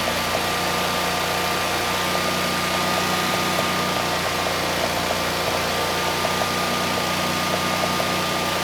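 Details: Generac 20kW standby generator, GTH-999 999cc engine, making power (122 V, about 60 Hz) despite glitter in oil: steady even drone with faint constant tone, no knocks or misses; normal run.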